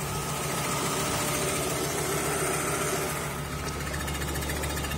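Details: Volvo 850R idling: light, fast ticking about three or four a second because the timing belt was installed slightly off-centre and rubbed on the idler pulley; fixed with another new timing belt.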